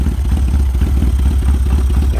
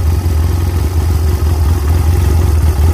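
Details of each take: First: Chinese 250cc ATV (Kazuma/Taotao type), not run in about 10 years: lumpy, uneven low idle that barely holds on full choke. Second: Chinese 250cc ATV (Kazuma/Taotao type), not run in about 10 years, after cleaning junk from the carburetor main jet and adjusting the air mixture screw out until it wouldn't cut off: runs off choke, low even idle holding steady, best it has done so far.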